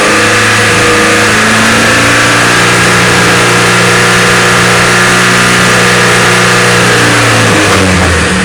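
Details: Car engine revving up from low RPM with an uneven, faltering beat low down, then dropping back. Low-RPM misfire; owner says it seems okay after the initial stumble.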